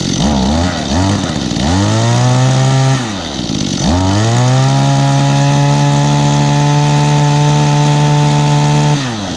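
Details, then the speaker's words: Small two-stroke that sat almost a year, started off choke and idled before revving. It blips a couple of times, then holds a clean, steady high rev without stumbling. Fresh fuel was all it needed to run good. "Let it idle for a minute before I start giving it revs. Actually, it's actually not running that bad though, really."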